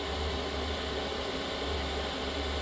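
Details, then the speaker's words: Vehicle diesel heater failing after a week, owner suspects biodiesel in pump fuel or a clogged screen: steady burner roar with a low hum but temperature not rising, so it is not burning correctly; cause unconfirmed. "but if the temperature doesn't go up it's not burning correctly"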